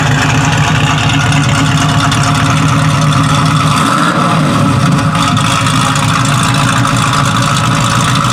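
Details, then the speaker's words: 1967 Chevrolet Camaro, 327 small block bored .030 over, Edelbrock high-rise intake, Holley carb, headers with Flowmaster exhaust, 350 Turbo transmission: deep, steady burble with even lopey beat, no knocks or misses; normal healthy idle. "That sounded real good. That sounded real good. It's been a great car for us."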